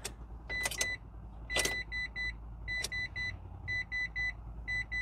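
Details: Mitsubishi i-MiEV, 47,000 miles, tiny 12V battery jumped with a jump box: short high beeps in groups of two or three about once a second with clicks between; warning chimes, flashing lights, empty fuel gauge, unresponsive to pedal, probably won't drive.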